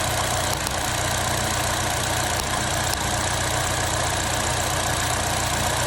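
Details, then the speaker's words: Vauxhall Astra at idle: runs rough with an uneven stumble breaking the beat; misfire caused by the cylinder 2 ignition coil arcing out so spark doesn't reach the plug. "so we can already see there that that cylinder 2 is aring out and the the spark isn't firing all the way through to the spark plug and that's what's causing our misfire"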